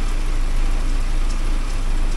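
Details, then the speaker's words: 1979 Porsche 924 after new motor mounts and warm-up regulator work, warmed up, fuel pressure steady at 3.2 (target 3.4): even low rumble, no knocks, misses or surging; running very nicely; normal warm idle. "The other thing going on, it's actually running very nicely though. So, I hate to screw with it when it runs so good."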